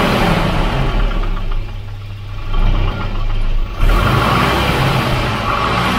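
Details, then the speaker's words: Volvo Redblock B230 engine (Volvo 240) at idle: loud hollow knocking tracking engine speed, heavier when cool but slapping at any temperature, much louder than the quiet comparison engine. Piston slap. "it slaps like that no matter the temperature a bit too much really yeah it's just a bit too loud"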